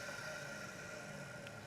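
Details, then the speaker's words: Electric Cleaner Company K-9 pet force dryer, back motor run and winding down: quiet even whir with steady whine and slight growl, fairly normal carbon brush noise — normal motor run. "And we can hear just a little growliness out of that, but nothing terrible. Fairly normal carbon brush noise as it slows down."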